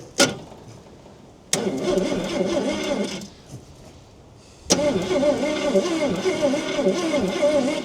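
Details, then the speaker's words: About 1968 Ford Falcon six-cylinder petrol, parked since 1990, 20,000 original miles, starter jumped with heavy-duty truck jumper leads; two steady, even cranking bursts, engine turns over freely but doesn't fire, starter works fine. "That starter works is just unbelievable."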